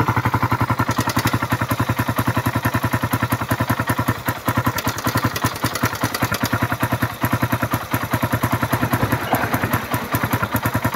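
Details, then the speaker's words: Suzuki Raider 150 at idle after a new battery (regulator overcharge), new spark plug and fresh oil, having run dry of oil: a loud uneven metallic ticking clatter about 3.5 per second; stethoscope finds noise at the crankcase and head. "Patinggan natin yung makina dahil maingay yung makina nito. Dalawa ng natuyuan. Ayan yung pumipitik na yan."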